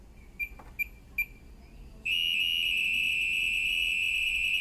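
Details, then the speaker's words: LG 5.5 kg direct-drive washing machine in smart diagnosis mode, started by holding a button for 3 seconds after a drain error: three short high beeps, then a continuous warbling data tone lasting about 17 seconds, reporting no errors. "It shoots the error code, so you can hear the sound of the error code disappears. So it's checking everything, right?"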